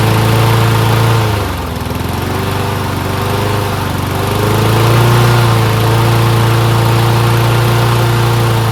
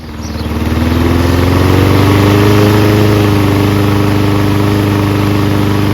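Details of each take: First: Toro Recycler Personal Pace mower with a Loncin engine after a belt change, choke manually closed; even single-cylinder drone that sags and recovers every few seconds, running a bit slow, RPM set slightly low. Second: Toro Recycler Personal Pace mower with Loncin engine, just after belt change, started with choke manually closed: small single-cylinder spins up to steady even fast beat, clean tone; runs well, RPM maybe needs slight adjustment.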